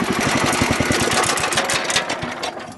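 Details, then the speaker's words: Wheel Horse garden tractor, reassembled and moved back and forth: rapid regular slapping, about ten a second, fading as it slows. The drive belt is dragging underneath a cover flap, the cause of the noise. "see where that that flap right there is located the belt was dragging underneath that that's why we were hearing that sound"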